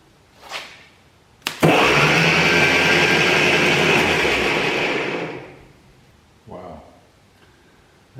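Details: 1949 Ferguson TO-20 with a Continental Z120 four-cylinder, sat 15-20+ years; after the starter was re-soldered and reinstalled it engages with a sharp clack and spins with a strong, steady whir for about three seconds, so cranking is normal.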